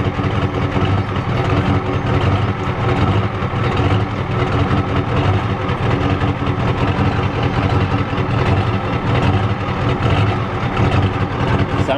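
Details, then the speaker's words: 1993 Ford F-250 XLT 7.3L IDI diesel, parked about a year, warm idle: uneven, lumpy clatter with a loose chuffing rhythm and visible shaking. Owner suspects it is out of time. "not running too good I think it's out of time I think so it's out of time you can tell look at it shaking it's out of time"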